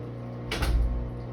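Low steady hum, then one heavy thump with a brief rattle before the hum carries on; the washer is banging, cause unclear.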